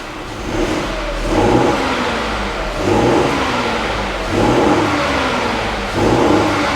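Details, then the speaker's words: Vauxhall Grandland, about 40,000 miles, former auction non-runner, just started: four quick throttle blips, each rising and settling cleanly, and the engine revs smoothly. Normal revving. "it runs it runs so we can move on to Second Step which is getting thing get thing off the ramp"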